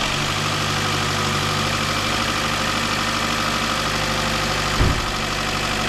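Fast, light metallic rattle sits over a steady idle and never clears; lifters are starving for oil pressure, likely from a loose upper chain guide.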